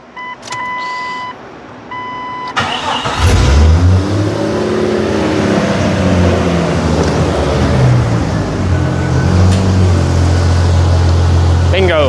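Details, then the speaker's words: Jeep after driveshaft failure damaged exhaust, exhaust manifold replaced and bolts retightened to cure vacuum leak and high idle: dash chimes, then smooth, even idle steady at 800 rpm, no knocks or clunks; normal after repair. "Bingo that's the way it's supposed to sound also I don't know what's going on with this might have to fix that yeah idling steadily at 800"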